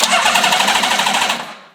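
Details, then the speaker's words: Honda CBX inline six after a full carburetor rebuild, run without exhaust, first start in 20 years: crisp, even firing pulses with a raw bark and no misses; normal running. "I mean, just listen to that thing. It sounds so good."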